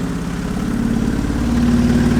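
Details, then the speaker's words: 2003 Hyundai Sonata with multiple check-engine codes and little power: rough, lumpy idle running on only cylinders 2 and 3; disconnecting 1 and 4 changes nothing and then the engine dies, confirming a bad ignition coil. "so now if I disconnect one and four no change running on two cylinders here engine dies bad ignition coil that is confirmed"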